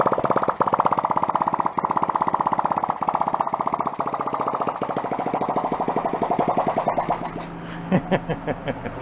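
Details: 1972 Honda CT70 Trail 70, long-stored, carb cleaned, no muffler, no longer on 6 V charger, strong spark; crisp quick open-pipe popping at steady rate, then stumbles, spits and dies as it runs out of gas.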